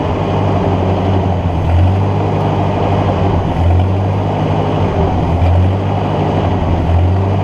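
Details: Ford NAA Golden Jubilee tractor (1953/1954) unused over 20 years, spark restored after battery connection fix: low, heavy running swelling about every two seconds, kept alive only by fuel poured down the intake tube; owner suspects clogged fuel line.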